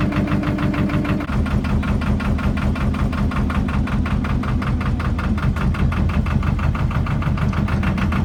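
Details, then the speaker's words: Narrowboat's Lister diesel with SL4 gearbox, just started after checking gearbox and engine oil, idling: loud even clatter, steady rhythm, no missing beats or knocks; healthy idle, though the engine is quite loud inside the boat. "One of the negatives of this boat is when the engine is running, it's quite loud."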